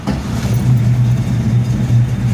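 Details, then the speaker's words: 1971 Dodge Super Bee, non-original 440 V8, 4-speed, restarted during pre-purchase test drive: deep steady rumble catches straight away and runs evenly, no stumble, no dieseling; normal restart and idle. "Fires right back up. Sounds good."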